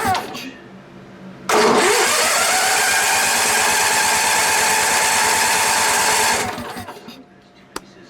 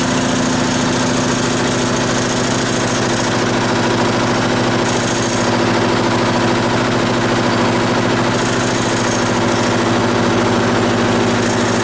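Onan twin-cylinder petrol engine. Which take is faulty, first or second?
first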